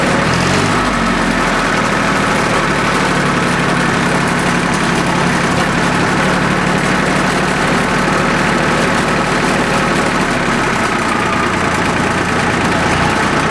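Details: Small Yanmar diesel with three injector lines, just restarted after air was bled from the whole fuel system following a fuel filter change that left it unable to start: smooth, even idle, steady throughout with no misses or surging.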